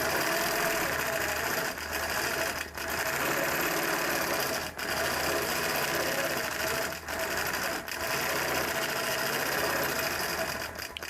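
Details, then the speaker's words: Longarm quilting machine doing fast steady stitching about four per second, with a harsh, forced punch on each stroke. The needle is poking through hard rather than cleanly, so it is dull and needs changing. "The needle sounds like it needs to be changed. So it kind of sounds like it's poking through really hard. It's not a clean sound."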